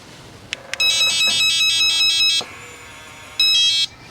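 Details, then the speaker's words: RV door keypad lock: shrill rapid beep series before it locks or unlocks, then a shorter burst; not a broken lock but its warning that the internal batteries are dead. "this is not a bad rv lock that series of beeps that really before it would unlock or lock is the indication from the lock itself telling you that the batteries inside are actually dead"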